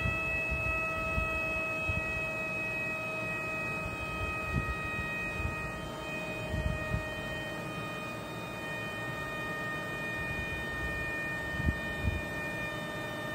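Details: A constant high, thin whistle over a low, steady hum, not changing pitch. A vacuum leak is suspected, not confirmed.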